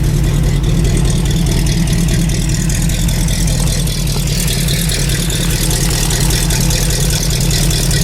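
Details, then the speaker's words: Carbureted engine on a cold start after sitting a long time, fresh fuel, throttle linkage just readjusted, still cold: settles into a steady, low, even idle without stumbles or knocks; normal idle. "No, that sounds sweet, eh?"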